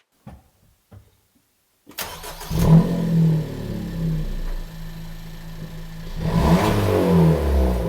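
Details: Suzuki Swift Sport, newly received, with both intermediate silencers removed: the engine starts and settles, then two smooth free revs rise and fall; a sober, even exhaust with no leak, a bit more pep than stock; normal start and revs.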